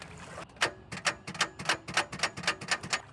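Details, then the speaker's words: Honda CR-V after being sunk in a river, battery seems charged: sharp dry clicks about four to five a second with no cranking. Owner suspects water under the pistons or a failed starter; not confirmed. "Well, that's not good at all. It seems like the battery's got enough charge, but uh let me just try this really quick with the jump"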